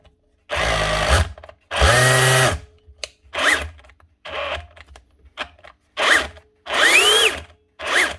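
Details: Dewalt cordless SDS drill on trigger test: short bursts spin up to a shrill, rising scream; motor running way too fast, controller problem suspected, not confirmed.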